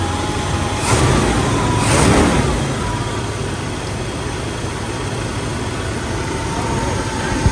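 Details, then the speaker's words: 71–72 350 V8 in a split-window Corvette coupe, first run in about 30 years, electric fuel pump, warming up, idle screw all the way out; steady, even exhaust rumble at a slightly fast idle, no misses or stumbles, no smoke, smooth idle. "Running very smooth for a motor that hasn't been started up for at least a quarter of a century."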